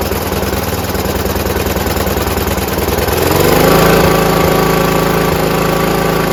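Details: John Deere RX75 rear-engine riding mower, after ignition switch modification, new fuel line and reassembly: small single-cylinder thumps evenly then settles to a low, steady idle without stumbling; normal idle.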